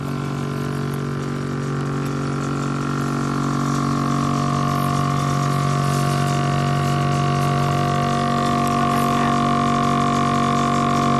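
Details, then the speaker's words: Steam locomotive air compressor running with a steady droning pump beat of about three strokes a second, recharging the main reservoir after much of it was lost in an emergency brake application; normal operation. "Of course, now we lost a lot of the main reservoir, and that's why you hear the air compressor running."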